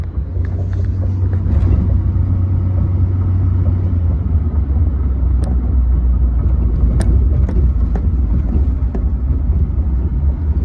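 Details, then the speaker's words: Duramax GMT800 truck, recorded under the dash while driving after replacing the worn plastic steering column bearing with a stainless steel one: steady road rumble and light suspension taps, no column clanking. "so you can hear the typical you know suspension and stuff in the truck but nothing out of the steering column"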